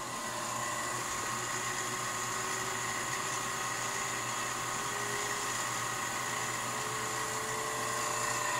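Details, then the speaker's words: Rebuilt Leybold Turbovac 150 turbomolecular pump, watercooled, on a sputtering setup: thin, steady whine climbing slowly in pitch as it accelerates to speed, slight shake during acceleration; normal spin-up. "so basically when it goes up to speed it will switch to it will switch to normal from acceleration oh you can hear it spinning up"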